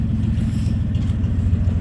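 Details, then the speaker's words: 1993 Ford F-150 5.0 302 V8 with C6, after replacing faulty water temp sensor that read minus 50 and caused flooding: low steady burble with even pulses, no misses; idling smoothly again. "Oh wow, listen to that thing purr. Jeez, that's how it sounded like before that sensor went."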